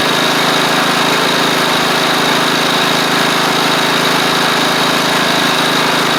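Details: Replacement engine with new head gasket on a Troy-Bilt Pony rider (the original seized, likely after running without oil): steady, even single-cylinder run with a buzzy high-pitched note and no knocks or misses. The engine sounds healthy, though it smokes a little on startup; the owner suspects oil on the hot exhaust.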